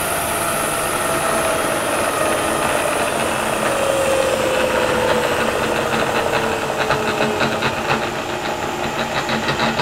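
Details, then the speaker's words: Variable-speed Bridgeport mill, recently acquired and test-run after sitting, spindle at high speed, about 4200 RPM. Whir with an uneven rattle growing toward the end, about three beats per second, from one end of the head. Cause unknown; owner will tear into it. "sounds like rat down at that end"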